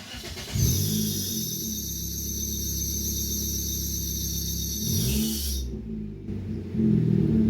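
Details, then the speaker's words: Nissan Sentra with a recently installed engine idles with a steady high-pitched belt squeal/whine; the belt slips because the tensioner is damaged, leaving no power steering: loose accessory belt squeal. "the belt is whining like that because the tensioner is damaged and they have no power steering"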